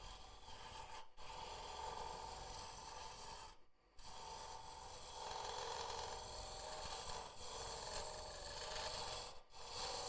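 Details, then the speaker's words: Wood lathe turning a vase, boring out the deep inside with a long tool reach far from the tool rest: a rough rasping scrape with an uneven chattering buzz, just tool vibration, no fault. "that noise there it's just vibration. Now, you just take it steady for this part because you're just boring it out."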